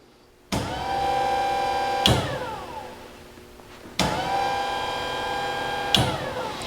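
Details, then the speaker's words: 1949 Chevrolet Gasser after tilt front end install, quiet electric water pump switched on and off twice for test: smooth even whir, no grinding or rattle; water pump working normally. "now the water pump you have to listen very carefully for it because it is quiet and she'll turn it on and off so that you can hear"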